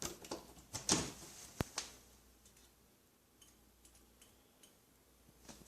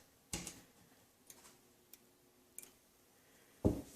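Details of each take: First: 1940s fluorescent shop light converted back to preheat, using its own old original glow starter: faint irregular ticks repeat for a few seconds in a quiet room before the tube lights; slow glow starter. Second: 1940s fluorescent shoplight converted back to preheat with a roughly 42-year-old ballast: sharp dry clicks every second or so as glow starters strike the lamps; normal preheat starting, close-up.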